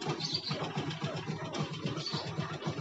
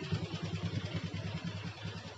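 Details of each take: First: Yamaha Jupiter MX that starts then dies; small single chugging at roughly four beats a second, slightly uneven; stalls from fuel starvation, flattened fuel vacuum hose cutting carburetor feed. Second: Yamaha Jupiter MX that started then died, after fixing a pinched, heat-damaged vacuum hose to the carburetor: quiet steady low putter, even firing, no hunting; normal idle.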